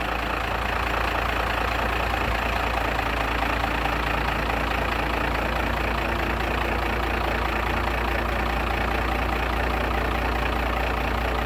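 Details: Diesel pickup jump-started with a Cen-Tech jump box after its batteries were completely dead, now idling with a steady, even clatter and a smooth low rumble, no misses; engine running healthy.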